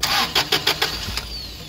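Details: Toyota 8 Series 5,000 lb LPG forklift with a 4Y-ECS engine and a long crank: cranking about seven pulses a second without firing after the mixture screw was turned clockwise (leaner); not enough yet.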